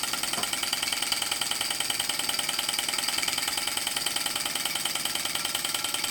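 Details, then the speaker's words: Small model steam, Stirling or hit-and-miss engine driving a Baker fan load: steady beat about two pulses a second over a loud airy rush, pulling evenly under the fan load. "oh I can hear this in curing and working against that that sounds really impressive"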